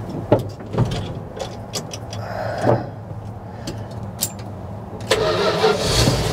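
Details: 1973 Dodge camper special abandoned 25 years, being revived: the engine cranks, catches quickly and settles into a steady idle with no misses or knocks, purring like a kitten; starting and running healthy.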